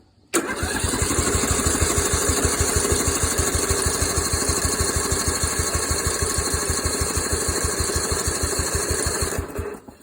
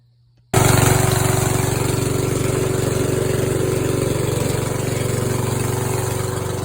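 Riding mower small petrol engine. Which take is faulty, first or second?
first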